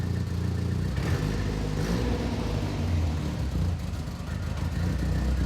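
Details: Late 1991 Golf Mk2 converted from 1.3 to 2.0 16V ABF, high-compression bottom end: starts fine with no throttle, idles, and revs and settles cleanly on throttle blips; idle control duty cycle high.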